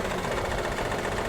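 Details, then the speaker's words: Maruti Suzuki WagonR K-series at idle with check engine light blinking: uneven, shaky, stumbling beat and heavy engine vibration, misfiring; one cylinder reportedly not working, oil consumption, overheating suspected; noise blamed on engine mounting. "Engine कितनी बुरी तरीके से vibration कर रहा है और गाड़ी missing भी कर रही है"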